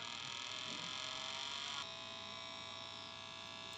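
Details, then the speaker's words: Ecovacs Deebot Ozmo 900 robot vacuum at power-on: a thin, sharp high-pitched whine that steps down but never loads up. The LDS sensor motor spins while the LDS turret stays still, confirming a broken LDS drive belt. "So, and still we have the sharp sound. It means that the LDS motor is turning, but the LDS is not turning."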